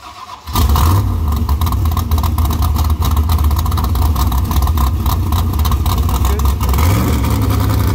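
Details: Engine refitted after cylinder head repair attempt failed (head cracked): brief crank, catches at once and settles into a deep, even rumble with no knocking or misfire.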